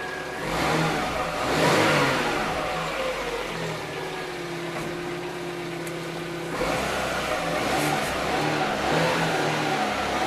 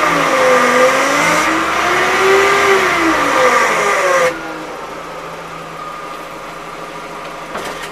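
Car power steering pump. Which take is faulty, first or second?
second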